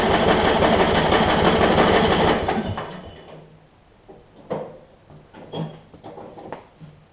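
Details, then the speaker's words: Yard Machines 38-inch riding mower with 13.5 hp Briggs & Stratton, starting fluid sprayed in: starter churns about three times a second for two seconds without firing; owner suspects bad, watery fuel, possibly a fouled plug. "i think i think the fuel is just so bad in it that it just won't crank for us"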